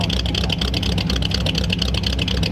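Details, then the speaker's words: 1938 Ford convertible V8 with new true dual exhaust, idling: a lumpy, choppy idle that got worse the longer it ran, with the car shaking and a fuel smell; possibly loading up, cam-like sound; rough idle. "It was getting worse the longer it idled. Yeah, might be loading up a little bit too. Yep. It makes it sound like it's got a cam. It does. Car's shaking too."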